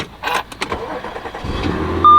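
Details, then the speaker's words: Audi S4 supercharged, 140k miles, manual, bought as possibly blown motor: clutch in, a few quick cranks, catches cleanly within a second and settles to steady idle, then warning chime; normal start. "Look at that, fired right up. Wow. Okay. Wow. Okay. Well, geez. Oh, that sounds good."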